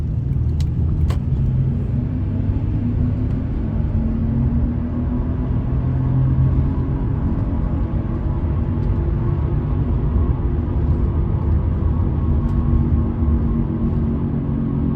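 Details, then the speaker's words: 2010 Toyota Sienna driving: steady low roar from the right side, unchanged in pitch when swerving left and right; began right after replacing the right wheel bearing, with suspension parts and brake pads also replaced; cause unknown, possibly a faulty new bearing. "hopefully y'all can pick up that noise and swerve a little you see it didn't really change at all in Pitch"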